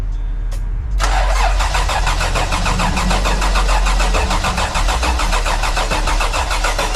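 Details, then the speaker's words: Toyota 4Runner on a jump box with a dead battery, coil removed to prime the engine: the starter cranks steadily at about four turns a second with no firing, so it cranks but does not start. "What we're gonna do right now, we're just gonna prime the motor. So we're gonna take off the coil so it won't fire."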